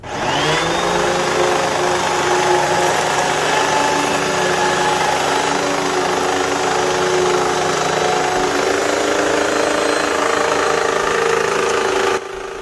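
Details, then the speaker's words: Hoover WindTunnel vacuum running: loud steady motor roar with a faint, uneven clicking underneath from the brush end; worn drive belt slipping, fixed by belt replacement. "if you listened carefully you can hear a clicking noise which indicates that something is wrong and it is not running properly"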